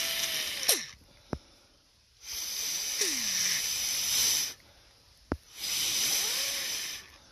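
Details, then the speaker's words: Hayward Navigator pool vacuum steering box after reseating the gears: breathy airflow bursts blown through it with a thin gliding whistle, the normal sound of the gears turning, indicating the box is fine to reassemble. "that little whistling sound that's the sound of all the gears turning inside and that means that you're good to go to put everything back together again"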